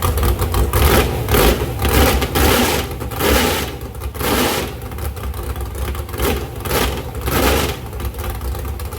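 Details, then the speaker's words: Ford 351 Cleveland at 354 ci, 615 hp, stock iron 4V heads, APD 1050 cfm carburettor, on a run stand after sitting 8 years: a loud open-header V8 idle with a lumpy, surging beat and a few throttle blips, running strong and healthy. "But man, she fired up good. Those headers sound bad."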